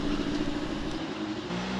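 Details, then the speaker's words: 1911 Scott two-stroke motorcycle, first start after mechanical restoration and after cleaning gummed carburettor air holes, bump-started downhill: steady even buzz at one speed, no misses; normal running. "yeah it's got the little fella fired up listen to that"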